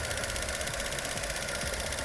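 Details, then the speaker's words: 2016 Chevy Cruze 1.4L idling with code P0496: fast steady light ticking over smooth idle, traced by stethoscope to canister purge valve; injectors fine, clicking stops when valve unplugged. "I was listening on all the injectors and everything but injectors are good everything is good inside the engine so I I end up with this part which is it's a canister purge canister"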